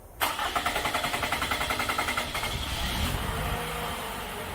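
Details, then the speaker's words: 2014 Toyota Camry four-cylinder with P0171 system-lean code: long steady cranking at about three and a half beats a second before it catches; fuel pressure bleeds off after shutdown and it starts around 20 PSI, running only about 22–24 PSI. "All right. You see how long it took to start? And it started once it got up to around I don't know 20 PSI roughly."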